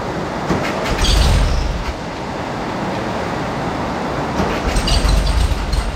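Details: Classic air-cooled VW Beetle after rebuild, fast idle with choke set: even tappet chatter, no heavy knock; earlier suspected rod knock was an under-torqued flywheel (about 150 vs 250 ft-lb) vibrating on the crankshaft.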